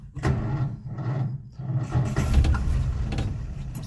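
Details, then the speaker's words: Old Nash on a 6-volt system, glass fuel sediment bowl replaced with fence-post cap, a couple gallons in tank: slow labouring starter in uneven bursts, engine never catches; seems fuel-starved, owner may need to prime carburettor. "Listen to that 6-volt system working. Come on, baby. Come on. Uh-oh. She is out of gas."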